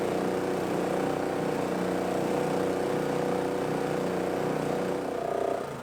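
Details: Roadside-free old gas-powered air compressor, single-cylinder engine, running with no choke after the valve cover was refitted and the air filter cleaned and reinstalled. It runs at a steady, even speed with a smooth buzz and no stumbling, then winds down at the end; it runs normally.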